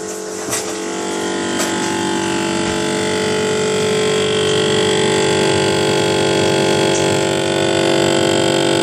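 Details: General Electric refrigerator GTE22IBTJRWW: a loud, fast rattle of about four beats a second over the running hum, from the evaporator fan motor, replaced twice under warranty, the second time with a used motor; the fan previously died after rattling.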